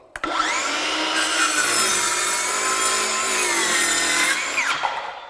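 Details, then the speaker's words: Craftsman V20 brushless 7-1/4" circular saw CMCS550B on a 2 Ah battery, cutting a log with a knot: high whine sags mid-cut and recovers; motor bogs under load from undersized battery. "you could hear it bog down, and you could actually see me moving. And as I pushed through, I was getting resistance, so it wanted to move the whole board."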